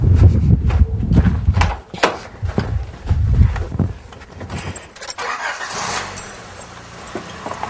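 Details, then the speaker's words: Four-cylinder car started after replacing all spark plugs. Cranking and clunks, then it catches and settles to a low, even idle without stumbling, no misfiring: normal idle. "all right it was successful there's no misfiring you want to make sure we can rev it up all the way again"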